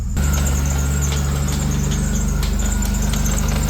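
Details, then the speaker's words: 4.3L V6 accessory belt drive at idle after alternator pulley cleaned and brand new tensioner fitted: thin steady high squeal persists; new tensioner slightly larger and belt tension looser, suspected rubbing near manifold, not confirmed. "Got the new guy on there, and yeah, we'll see how it sounds. Still squeaking."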